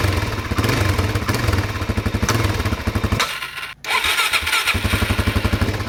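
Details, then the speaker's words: Newly bought DRZ400 single, checked with a stethoscope on the cases: thumping idle with a hard, aggressive metallic knock only on small throttle blips, fine at full throttle. Source not pinned down; the owner plans to pull the tank and valve cover and check timing. "when you have it idling here and you blip the throttle just a little blip it knocks like it's a it's an aggressive knock"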